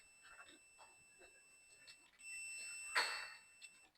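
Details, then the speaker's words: 2021 Nissan D23 EO6 diesel truck, ECU offline after blown 20A IPDM fuse: quiet shuffling during wiggle testing, then the meter's steady high beep switches on and holds, showing the red ECU feed wire shorted to ground. "And let's see if this wire is shorted to ground. So that, can you hear that? Need to find where."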